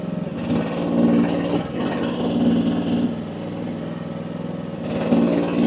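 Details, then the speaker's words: AGT WH12R 1-ton mini excavator diesel, relief reset to about 2300 PSI (near factory setting), digging; pulls down under each dig and recovers without stalling or badly labouring: owner feels setting is optimal, normal operation. "I feel like that's optimal."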